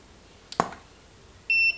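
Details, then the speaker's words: Godox SK400 II studio flash after repair of Error E3 and weak power: sharp pop of the flash firing, then about a second later a short steady high recycle beep; working normally with stronger output after service. "dengerin Hai wow mantap lampu di tempat kita sampai ngeduk gitu ya kalau tarikannya bagus ya"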